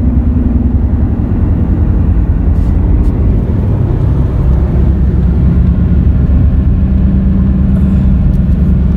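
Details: Car with roaring helicopter-like noise, front wheel bearings already replaced and noise remained: steady low droning roar from the rear while driving, no clicks or grinding; worn, defective rear tire.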